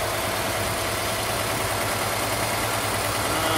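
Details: Mercedes W124/W126 KE-Jetronic engine with high idle around 1,500 rpm: steady even hum well above normal, no misses; idle control valve letting in too much air, fix is adjusting it, checking about 4.5 V at its plug.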